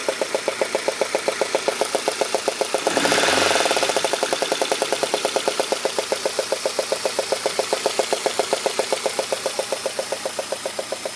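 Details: Peugeot 106 GTI, head done three months ago: even rapid tapping at idle, two or three per second, swelling with a rev blip; knock caused by a failed spark plug only four months and 5000 km old.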